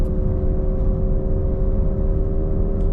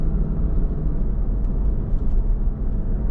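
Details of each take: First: Cadillac DeVille driving: a steady mid-pitched hum over road rumble varies with speed, not RPM, and grows louder turning left and quieter turning right; a worn wheel bearing, to be replaced. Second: Cadillac DeVille on first drive after new wheel bearing and hub: only even low road rumble at cruise, no growl or hum rising with speed; earlier bearing noise grew louder with speed, not rpm.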